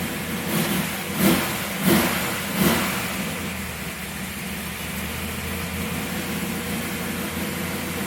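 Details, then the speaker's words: Pontiac Tempest, sitting since November, started for spring: three quick throttle blips, each ragged pickup settling to steady idle. Tip-in stumble, still not clean on first squirt; plugs pulled on sea-level tune showed it running rich. "Still not quite clean on that first squirt. That's what we got."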